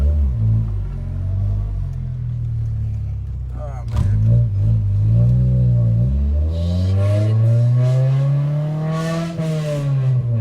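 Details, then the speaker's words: Honda Civic with resonator deleted, muffler blown out by 2-step launches; loud, raspy low drone that climbs and falls as the engine is revved to about 3000 rpm, sounding like open headers. "it sounds like a hunger would open headers man it really does"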